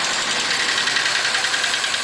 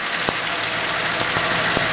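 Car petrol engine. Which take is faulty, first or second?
first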